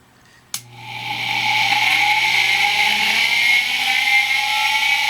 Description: Spin-Up Sound of a noisy ball-bearing motor.